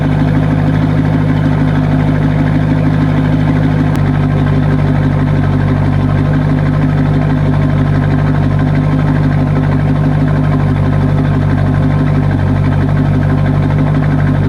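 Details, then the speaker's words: C5 Corvette on a lift with the exhaust cut open: a loud, raw, lumpy idle with a deep throbbing bark and no muffling, echoey like open headers or a broken exhaust; judged too unrefined, so it will be bolted back up. "Probably wouldn't be so echoey maybe, but it sounds just like when people have like open header pretty much, or like their exhaust is broken. So I don't really like the way that sounds."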